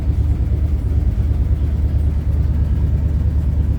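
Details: Old Ford daily driver at idle, not fully warm: low loping idle of about three pulses a second with a hollow missing beat; dead cylinder, number five not firing, later confirmed by badly fouled spark plugs, plugs to be replaced.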